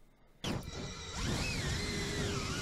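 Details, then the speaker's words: FPV quad (cinewhoop) whose ESC rebooted mid-flight: motor whine wanders up and down in pitch while just hovering, uneven and unsettled; motors having a problem, tune suspected wrong, cause unclear. "do you hear the motors going even when the quad is just hovering listen right there do you hear that the motors are super they're having a problem"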